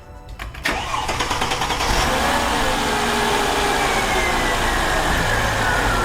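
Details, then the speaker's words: Mercedes E-Class W211 that cranks but won't start: cranking whirr, then it catches and runs on a little fuel poured into the intake and dies once that runs out, pointing to a fuel delivery fault. "And it died because it ran out of gas. So, now if we start it again, it will start."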